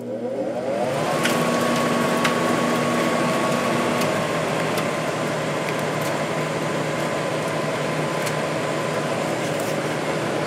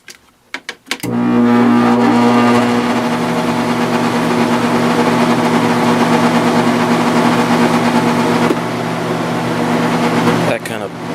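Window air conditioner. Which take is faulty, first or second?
second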